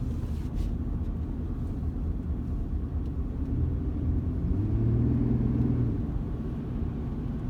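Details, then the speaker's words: 2017 Chevrolet Colorado at steady cruise around 50 km/h, coasting or under power: deep low rumble throbbing in a slow wah-wah pulse, felt through floor, pedal and steering wheel; driveline-like drone, source unconfirmed. "Now I can hear it, and I can feel it through the floorboards and the gas pedal and the steering wheel. It's like a pulsating noise. Yeah, it gets real bad right at 50 kilometers an hour."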